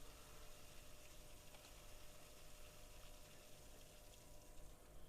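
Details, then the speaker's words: New Oase BioMaster Thermo 850 aquarium canister filter: faint steady water rush with a soft gurgle as trapped air keeps venting from the filter. "Hatta gördüğünüz gibi habire de hava atıyor yine"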